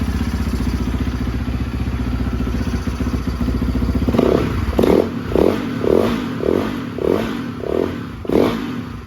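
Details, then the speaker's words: Yamaha YZ450F after a simple problem was caught in time, with no valve or piston damage. Runs steadily, then revs in repeated blips about a second apart, picking up cleanly each time: running fine again. "fired it up, and it is running fine, running great now."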